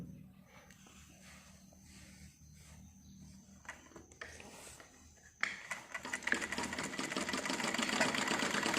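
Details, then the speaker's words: Sewing machine (silai machine) after cleaning and oiling, sewing normal ganji (vest) cloth with black thread: brisk, even clatter with no knocks or binding; stitches even, neither thick nor thin, no skipped stitches. "ये देखो सिलाई एकदम आप देख सकते हैं बराबर, कोई भी दिक्कत नहीं"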